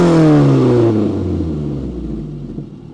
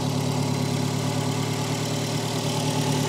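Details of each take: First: Peugeot 405 1.9L GRX4 after carburettor adjustment with a Colortune, choke off: engine blipped gently and released, revs fall away smoothly and evenly with no stumble or flat spot; carburettor well set. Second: Peugeot 405 1.9L GRX4 carburettor engine before adjustment: uneven, lumpy, irregular idle under steady engine drone; carburettor not set, running badly, mixture to be adjusted with a Colortune.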